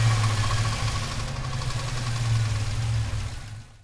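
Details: Turbocharged 5.3 V8 Chevelle engine with a deep rumble and a loose rattle riding on it as the revs fall back toward idle after revving to about 3,500 rpm. The rattle is growing louder over time and its cause is unknown.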